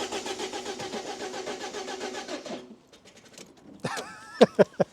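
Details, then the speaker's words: Salvage Copart car with flat battery, cranked on boosted jump pack, nearly half tank of fuel: steady cranking under three seconds with no catch; cranks but won't run, owner unsure if electrical or spark. "well it's something we've got it firing over but actually has he got any fuel"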